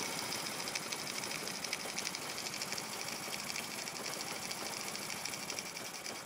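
Light, rapid clatter with an unsteady rhythm from a little single-cylinder at idle; it runs rough, though nothing points to a specific fault.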